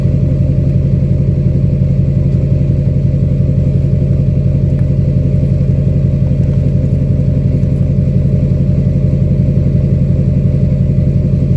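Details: 2006 Chevy Silverado LBZ Duramax diesel, DSP5 tune, newly fitted 5-inch straight pipe with flow-through muffler and 8-inch tip, cat removed; recorded at tailpipe: deep, throaty, even idle rumble, ground vibrating, no misses or knocks; healthy normal idle.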